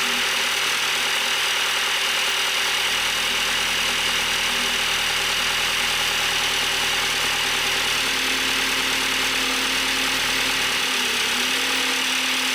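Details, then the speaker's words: Audi 1.8T after an engine swap and timing belt install, oil put in one cylinder before a compression test: runs unevenly with quick light ticking under loud hiss, other odd noises and heavy smoke; cause unknown. "it's also making some really odd sounds other than just like clicking right"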